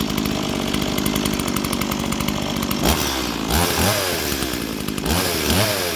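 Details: Roadside-find Stihl MS170 two-stroke chainsaw at first start: buzzes at a steady idle, then blips up and down cleanly twice; it starts, revs freely and runs healthy.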